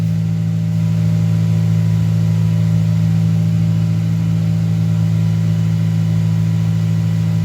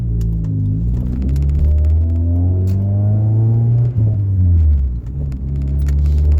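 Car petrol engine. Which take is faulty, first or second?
second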